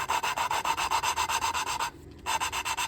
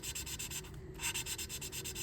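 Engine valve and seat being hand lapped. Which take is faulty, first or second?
first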